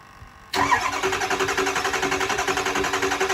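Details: 600HP 6.0 Powerstroke crate diesel in a Ford Excursion: steady starter cranking with even compression pulses near four per second, never catching. It cranks with no start, reading 0 injector pressure; low oil on the dipstick is suspected, not confirmed.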